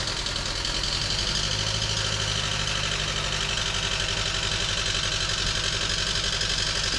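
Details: 2011 Chevrolet Cruze LTZ 1.4 turbo, before an engine swap: rough idle with an uneven tapping clatter about four per second over the engine note; worn engine, exact fault unclear.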